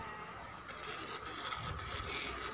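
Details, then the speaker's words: Sony Xperia XZ2 (Docomo) phone: the loudspeaker plays back rough and crackly, a raspy hiss over a thin tone. The speaker is blown. "Ini suara begitu jelas terdengar kresek kresek kresek. Artinya ini speakernya rusak ya."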